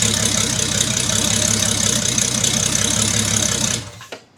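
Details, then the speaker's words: Build engine already run to operating temperature about 90°, before head re-torque and removing rocker cover and coils: smooth, even idle with steady beat, no knocks or misfires, then shut off. "so yeah she runs and uh we are ready to basically take apart everything here The Rocker cover the coils"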